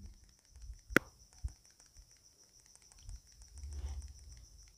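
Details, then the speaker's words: Samsung S20 FE 5G phone shaken near the mic: faint irregular clicks and light patter from the slightly moving stabilized camera (OIS), which is normal and harmless and needs no fix. "ये जो आवाज़ ए रहा है इसमें आपको घबराने की कोई जरूरत नहीं है दोस्तों इसके लिए कुछ नहीं करना है यहां पे आपको कोई दिक्कत नहीं है जो इस फोन में आपको वॉइस कैमरा दिया गया है दोस्तों वही आपको चेक करने के बाद थोड़ा सा हिल रहा है उसी का यहां पे साउंड ए रहा है"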